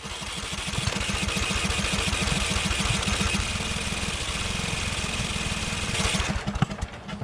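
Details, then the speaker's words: Murray 42-inch riding mower with an ignition fault causing inconsistent spark. The starter chugs steadily and the engine fires in uneven pops but won't catch because it is flooded; it earlier backfired. "yeah it's trying to start i'm gonna let the starter cool down for a little bit and i hit it again it's just really flooded right now because i think something in the ignition wasn't working so it wasn't getting sparked consistently"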